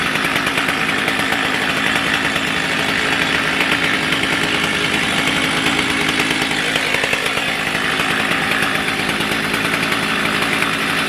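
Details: Stihl MS310 chainsaw, warm following ignition coil/gap repair (previously stalled after about 2 minutes when hot); steady, high, buzzy two-stroke drone at even speed, no stumbling or dying; normal running.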